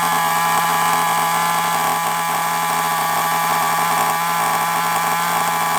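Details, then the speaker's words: FTX Carnage nitro RC car, started after glow plugs were charged: high, steady buzzing drone at an even pitch with no misses or surging; the small nitro engine runs cleanly. "there we go look did you hear it it ran for a little bit"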